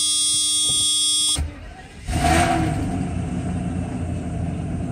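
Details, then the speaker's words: Mercedes S600 coupe V12, cold start after sitting a while: short crank, then a smooth, even idle on all twelve cylinders, where last time it ran on only six; the air pump makes some noise. "it runs good on twelve because last time I started it only ran on six cylinders obviously not a good thing"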